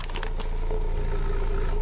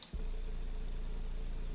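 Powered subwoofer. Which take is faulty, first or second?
first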